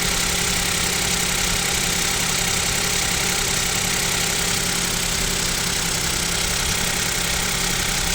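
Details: Kia Picanto 2 1.0 G3LA, cold start at about -7 °C: steady, busy metallic ticking knock over a loud, hissy engine bay; owner suspects piston knock and wonders if an overhaul is near, unconfirmed.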